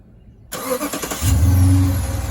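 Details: 2016 Dodge Charger R/T 5.7 after starter replacement (old starter needed banging to crank): it spins briskly for under a second, catches cleanly and settles into an even idle; normal crank and start.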